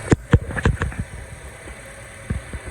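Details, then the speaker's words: 2011 Honda CR-V 2.4 started after alternator replacement, with the drive belt in place and charging voltage now good: low, even idle hum with a few early thumps, then smooth and steady; engine running normally. "Alright, so double check. It sounds good. And also the dry belt is in place."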